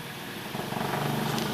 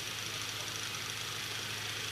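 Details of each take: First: Late-1920s Victor Jr electric fan, first run in decades after a rusted-solid motor, temporary wiring, bent blades, no guard: motor hum climbs as it spins up with a rhythmic wobbling pulse. Blades off balance; motor works. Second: Late-1920s Victor Jr fan revived after years written off with a rusted-solid motor, run for a while to check overheating and bearing noise: steady hum with even airy blade rush, no rumble, rattle or scraping. Normal running.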